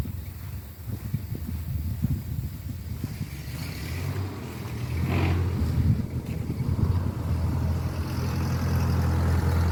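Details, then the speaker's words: 1950 Ford 8N tractor, 4-cylinder converted to 12 volt, with a replacement carburetor fitted after the old one made it start and die as if starved of fuel: steady even chugging idle that swells smoothly on throttle, no misses or knocks; normal running. "so as you can hear we got it running really good I'd say this is a success"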